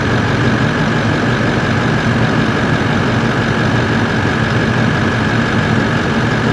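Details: Toyota 1VD-FTV V8 turbo diesel swapped into an 80 Series Land Cruiser, first fire-up after an ECU adjustment: deep, smooth steady idle with constant fan rush, owner feels the clutch fan is stuck on; sounds healthy.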